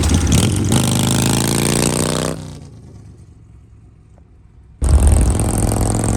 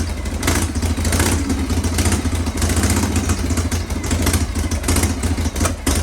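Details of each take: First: Harley Shovelhead with an S&S Super E carb after re-jetting and new throttle and idle cables: strong, even potato-potato idle that blips cleanly and settles back without stumbling. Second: Kick-started Shovelhead V-twin chopper with S&S Super E carb: lumpy, uneven idle with irregular popping over a low rumble, wouldn't start without the enricher, mixture still needs setting up.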